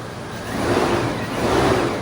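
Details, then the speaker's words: 1998 Chevrolet C1500 farm truck, just started after A/C orifice tube replacement and recharge: smooth, even engine hum rising gently with revs, no belt whine anymore; belt drive sounds healthy, tensioner pulley may still need replacing. "Oh yeah, nice and quiet."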